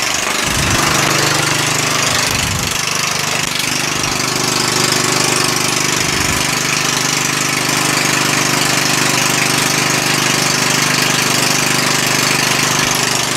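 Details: Murray lawn tractor engine after a valve adjustment; it spins over easier. Steady even fast tapping beat with no misses; the engine runs fine, but in gear with the clutch released the axle does not spin, so the drive does not engage.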